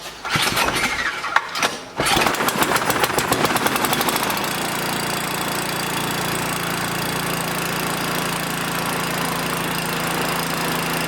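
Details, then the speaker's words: 5 hp wood-splitter engine: carburetor linkage had fallen off and was refitted; it cranks a few seconds, fires at about four seconds, then settles into a steady even run with no misses or knocks. "And as soon as I put it on there, she fired off. So that's all that it was. Awesome. Sounds like it's running good too."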